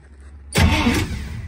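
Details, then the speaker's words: Street sweeper's refitted starter, taken out after its plastic back housing broke from hammer blows, blipped with wires and ground connected; short, strong even whir with no grinding or clicking, cranks normally. "Works fucking mint. Perfect."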